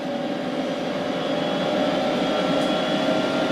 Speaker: You hear the fans ramping up. Well, just a quick video to show you everything is working fine.